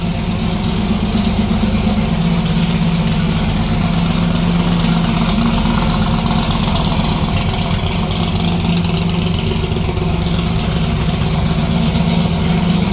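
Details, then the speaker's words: '57 delivery V8 at idle with new exhaust (Neighbor Hater mufflers): deep, loud, slightly lumpy burble at even idle, about four pulses a second, no knocks; normal idle, loud exhaust. "Well, it's pretty late, and as you can see, that thing's still pretty loud, so figured I'd give it a listen, but we better call her quits for tonight so we don't get the whole neighborhood pissed off."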